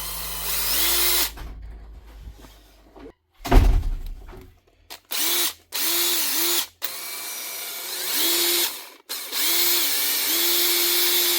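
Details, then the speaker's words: Makita 18V brushed impact driver after a drop of oil on its dry gearbox steel bushes: short bursts of smooth, steady motor whine rising and falling with the trigger, now quieter. "See, a wee bit of oil just quietens it down. Sounds better, but it's still not worth fixing."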